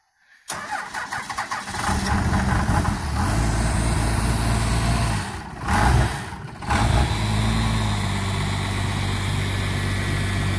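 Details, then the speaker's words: 1997 Dodge 2500 12-valve Cummins diesel, cold start in 3-4 inches of snow, not plugged in, no tailpipe: brief crank, fires right up and settles into a steady, even diesel clatter at idle; normal healthy cold start. "It's a good old 12 valve. Y'all hear that? It fired right up. Pretty impressive for no 12 valve."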